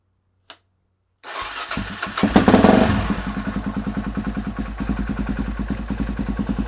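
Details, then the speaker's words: Suzuki DRZ400SM single, first start in 3 months after full restoration teardown: slow cranking sucks coolant through, then irregular firing picks up into a steady thumping idle of about three beats a second as fuel arrives; engine catching after cranking, bit of coolant on header. "Sucking some of the coolant through, that's good. Oh, it's starting to get some fuel now."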